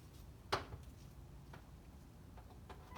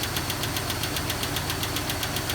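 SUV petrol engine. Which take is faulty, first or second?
second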